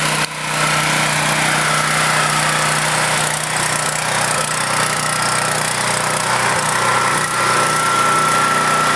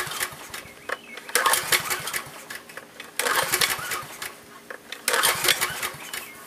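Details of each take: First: Portable generator left unused for several years, started with choke after fresh gasoline and the spark plug refitted; a steady, even drone of constant pitch with no misses or knocks, running like new. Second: Generator unused for years, little old gas in tank, fuel valve still shut: three recoil pulls about two seconds apart, engine spins over but never fires; no start.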